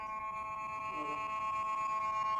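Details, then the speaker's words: Nokia 150 (TA-1582/TA-1567) phone microphone, several mics already replaced: no voice, only steady high-pitched buzz with layered overtones, the helicopter noise; mic circuit missing filter capacitors. "कोई आवाज नहीं आती। बस ये शोर आ रहा है सिर्फ।"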